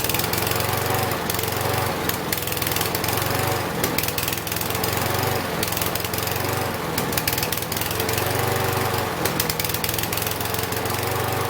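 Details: Husqvarna 6021P Kohler mower engine after the part under the idle adjustment screw was removed and the idle screw adjusted. Even single-cylinder idle with no surging; the owner notes it may also just have warmed up.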